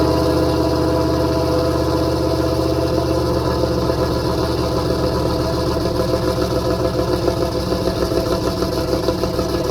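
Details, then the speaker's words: 334 small-block Chevy V8 after break-in and oil change, choke idle screw adjusted, warming up: loud steady idle, even lumpy beat, slight cam lope; sounds good, still needs a little tuning. "Still got a little bit of tuning to do, but she sounds good, doesn't she?"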